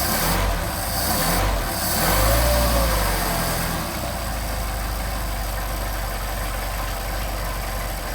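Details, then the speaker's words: Mercedes 190SL with freshly rebuilt Solex 44PHH carburetors, cold start on choke after several days sitting (ambient about 90°F): engine catches, swells briefly, then settles into a nice smooth, even idle with no misses; normal cold start and idle. "nice smooth idle. Now we're going to rev up the engine and get us warmed up here."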